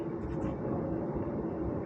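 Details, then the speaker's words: Indespension trailer wheel jacked up on an axle stand and spun freely by hand: low continuous rumble with a faint droning note from the wheel bearing; worn wheel bearing needing replacement. "That's the wheel bearing making that rumbling noise. Not good."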